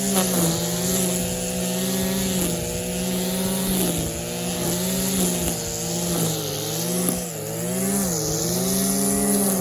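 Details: Stihl KM94 RC combi powerhead strimming after a rebuild with new bearings, seals and carb work following years of hard use: steady buzzing note dips and recovers with load on the head, picking straight back up; healthy engine.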